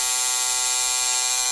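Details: Motorized Walthers bascule bridge gearbox run at 5 volts, with 6 recommended. It makes a steady, even, high-pitched buzz with no tight spots, its connecting rod left loose; the gearmotor runs smoothly and normally.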